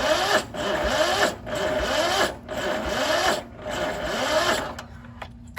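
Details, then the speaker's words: Cub Cadet 2146 lawn tractor, 14 hp Linamar single-cylinder, unused for 3 years, frozen choke: the starter labors at about one heavy beat per second, dragging and sagging before quitting; slow cranking from a weak battery. "Our battery's gonna need some help."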